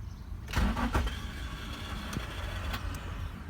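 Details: Nissan 350Z cranks once with a short thump and a second knock, then only a faint low hum and a few ticks; never starts, cause not yet known.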